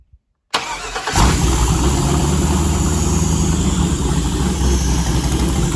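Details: 5.3L LS with 4L60E on Holley Terminator X 550-917, out of car, first fire-up, alternator not connected, coolant sensor 74: brief crank, catches at once, steady even deep idle without misses or knocks.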